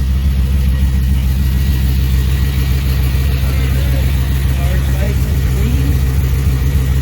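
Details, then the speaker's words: 2002 Camaro after a Hooker Blackheart true-dual exhaust install and an oil change, 60 psi oil pressure. A deep, even idle rumble with faint belt whir; no more popping or ticking: normal idle. "We no longer hear pop, pop, pop, pop, snap, snap, snap. Up here, no tickies. I literally only hear the belts. And this really rich, nice sound."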